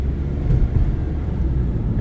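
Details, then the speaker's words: Mitsubishi Outlander driving after repair with new front sway bar links and new rear shock; steady low road rumble, no clunks or knocks, suspension noise confirmed fixed. "So it's a confirm that it's a fix, no more noise, suspension noise,"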